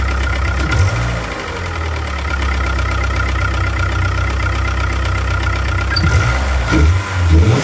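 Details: 1998 DSM with a 420A engine at idle: an uneven low knocking, about one or two per second, under the engine rumble. The owner suspects a rod bearing, not confirmed.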